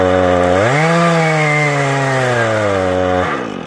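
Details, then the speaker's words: Husqvarna 435e chainsaw with 18-inch ripping chain milling lumber in a Granberg G777 Alaskan mill: high buzz that sags, lags and drags in the cut before dropping off; the underpowered saw is bogging under load. "It's hard to do because the ripping chain wants to just stop. But if you listen, you say it sounds like it's really just lagging. You don't want that."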